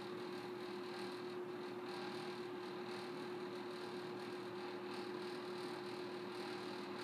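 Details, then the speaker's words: May 1985 Kmart 20" box fan model K-223 with McMillan motor, on low speed; steady low motor hum under the airflow with a faint loose rattle; owner plans to fix the rattles. "let's go ahead and start it up on low a little bit of motorhome Batgirl rattles I'm gonna be taking care of that soon though"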